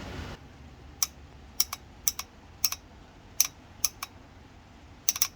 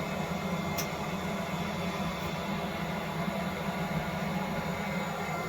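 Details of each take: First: Propex Heatsource HS2000/HS2800 LPG heater that tried to start then shut off, solenoid powered directly from a 12 V battery: sharp, crisp clicks, often in close pairs, as the gas solenoid valve snaps open and shut; gas solenoid valve clicking open normally. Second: Propex Heatsource HS2000/HS2800 LPG space heater in a van, switched to flame setting: blower whooshes up then winds down with no spark ticking and no flame lighting, unit shutting off with a fault; fixed by cleaning and service.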